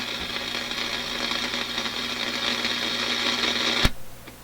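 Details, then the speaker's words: AF-610 Japanese AM/FM tube radio left running with FM problem: steady hiss, crackle and high whine slowly getting really loud; owner suspects a bad 17EW8 front-end tube, tube element heating or leaking capacitor, not confirmed. "This radio is getting louder and louder as I sit here. It's really getting loud."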